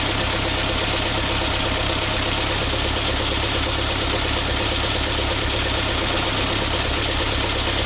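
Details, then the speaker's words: Old ZIL crane truck diesel, no oil pressure reading yet, test run during restoration; steady diesel clatter at calm even idle, no misses or heavy knocks, running more crisply than before: normal idle. "Ну что ж, всё, попробовал. Работает, работает. И прямо уже чётче."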